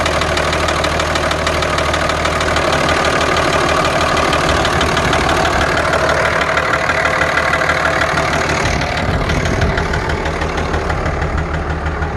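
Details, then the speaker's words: 2003 Dodge Ram 2500 5.9 Cummins diesel at idle: uneven knock roughly three a second over loud clatter, like piston slap; owner suspects a still-leaking injector, unconfirmed. "I still got that ticking, or actually sounds like piston slap."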